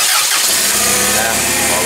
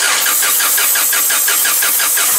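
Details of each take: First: Toyota 7FGU25 forklift with a no-start complaint, after the fuel regulator with a weak solenoid was replaced, engine catches immediately and runs steadily with no stumbling or misfire; normal start. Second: Toyota 7FGU25 forklift, no-start complaint, cranking normally so compression not suspected: quick steady cranking, then engine briefly catches on brake cleaner sprayed into intake, confirming fuel starvation; next step is checking fuel supply from tank.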